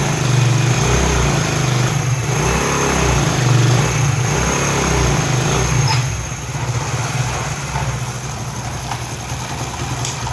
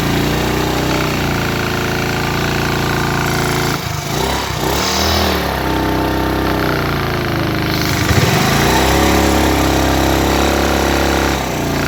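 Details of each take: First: Single-cylinder motorcycle after replacing a failed head gasket that leaked piston pressure, causing head noise and blow-by: even, low idle thump with a steady beat and no ticking or hiss; the earlier noise is gone, normal idle. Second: Single-cylinder motorcycle at idle and revved: rough chuffing beat near four per second with blowing leak sound, noise from piston and cylinder head under load; head gasket leak.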